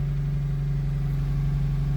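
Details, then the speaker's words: 2003 Honda CR-V (2nd gen) that cranked but wouldn't start or started then died, after replacing the fuel pump relay: starts right up and idles smooth and even, no knocks, ticks or stumbles; normal idle. "I thought it's gonna be a big problem but uh boom the car just started"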